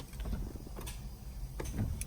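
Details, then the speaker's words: 2015 Honda CR-V, 60k miles, battery newly replaced: a few isolated sharp clicks on each key turn, but the engine never cranks; failed starter. "Now they trying to start it. It doesn't start. You can tell. You can hear it clicks, but it doesn't start."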